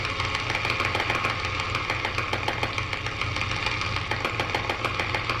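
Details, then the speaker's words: 1946-48 Sparton Model 6-26 tube radio after new tubes including 5Y3 rectifier, first power-up: harsh hiss with fast regular buzz about three a second over low hum; receiver out of alignment, interference from a fan and halogen lamps. "yeah it's definitely alignment got some interference from our fan that's on and our H hallogen lamps in here so if I was turn the light off that would go away"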